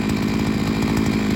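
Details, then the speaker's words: Seven-year-old 42cc two-stroke 5-in-1 multi-tool strimmer, only the spark plug ever replaced: high, buzzy note holding steady at revs with a quick, even firing rhythm. It runs well and the clutch does not slip. "it's quite a loud machine so ear defenders are a must if you're using it for a long period of they time to the carburetor it goes really well no problems with the clutch at all it doesn't slip"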